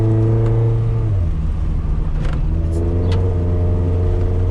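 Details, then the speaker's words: 5th-gen Honda Prelude test drive after fuel filter replacement, with fuel pressure normal at unloaded idle: low flat note, revs sag under load instead of climbing cleanly; still bogging down, fuel filter ruled out, cause unconfirmed. "Still bogging down, so it's not the fuel filter. Although the fuel pressures at idling without a load on it were where they should be. Just bogs down."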